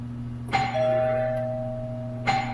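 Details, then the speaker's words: 1976 Stern Stampede pinball machine under repair: two clear bell chimes about two seconds apart over a steady hum. Starting a game takes the credit off and the start chime fires properly. "hey that works all right start a game took the credit off"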